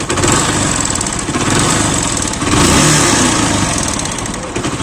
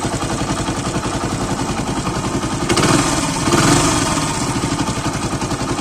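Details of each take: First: Deluxe single-cylinder motorcycle engine idling: a dull, hollow knock with no other engine noise. Half engine then opened, head and cylinder removed. Piston slap from a loose piston. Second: Deluxe single-cylinder motorcycle after a half-engine rebuild, fixing a piston noise: kick-started, idling with an even steady beat and two short throttle blips, no knock, normal sound.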